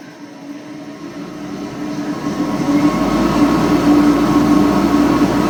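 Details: ILG 10-P blower, 1/3 HP 3,400 RPM three-phase motor, started on single-phase 240 V through a 10 µF run-capacitor static converter with no start capacitor: spins up to a steady hum with a rough rumble under the whine, from worn bearings not yet replaced.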